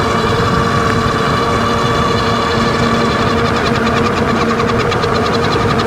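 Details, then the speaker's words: 2024 Wallke H7 AWD e-bike, 48V 40Ah battery, 750W front geared hub motor, microphone down near the front wheel, full throttle at high speed: steady mid-pitched whir with faster pulsing hiss. "all right so you can hear there with the microphone down below hopefully a little bit better the w w noise it was making now that's usually when it's full throttle getting up to high speeds"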